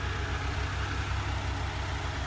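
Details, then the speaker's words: 1995 Honda Acty SDX 4x4, 660cc 3-cylinder, 5-speed, 106,000 km, after timing, water pump and full maintenance. It has a steady, smooth idle with the AC on and rpm dropping slightly under load, with no knocks or misses. "okay and that's with the ac on so let me demonstrate maybe you can hear the rpms i don't know if the microphone is going to catch that dropping down"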